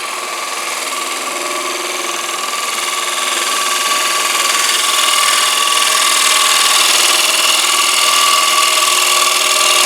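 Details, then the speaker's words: Harsh rapid buzzing chatter, about four beats a second with a ringing tone, as the tool works a thin-walled economy bowl turned from a single board; thin wall lacks mass and vibrates, a wrapped glue tube can dampen it. "So you can hear the chatter there. It's going to happen. You don't have the mass inside there like you do if you're turning a chunk of wood."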